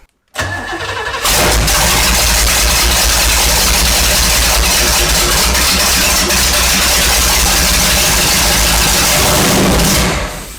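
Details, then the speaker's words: 1970s big-block jet boat revived after its engine was full of water, now on a fresh carburetor with timing checked and fed from a 3-gallon auxiliary tank: it fires and settles into a loud, steady, even run with no knocks or misses; healthy running. "That runs damn good."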